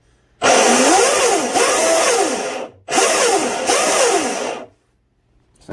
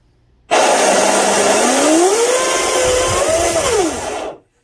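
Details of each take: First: RC boat electric motor spun up after installing a new stuffing tube, flex shaft and stinger: a whine sweeps up and down under a rough, gritty roar, and the owner thinks the motor bearing is starting to go. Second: Delta Force 35 monohull RC boat after installing new 1/4" stuffing tube, greased 3/16" (.187) flex shaft and stinger; loud smooth motor whine rising and falling with throttle, no knocks or grinding, no heat in stuffing tube; a bearing possibly starting to go bad: normal flex shaft drive run.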